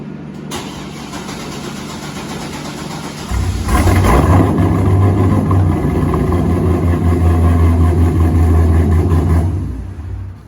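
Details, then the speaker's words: 2012 Corvette C6 Z06, recently fitted with a larger in-tank fuel pump, being prepared for ethanol: the starter churns evenly for about three seconds before the engine catches and settles to a steady idle; fuel pump was slow to prime, suspected fuel rail pressure loss. "so we are troubleshooting an issue with it where it doesn't always want to start when you crank it over and i'm going to have kelsey crank it over now and give you kind of an example of what it sounds like when this problem"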